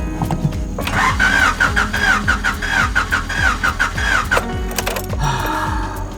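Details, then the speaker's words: 3rd-gen Honda Prelude, on a hot day, gear uncertain: sluggish, labored cranking that never catches. Owner thinks the battery is nearly dead; the engine may also be low on oil and the transmission was broken. "okay sounds sounds decent oh the battery sounds like it's done i don't know how much juice is left in this thing"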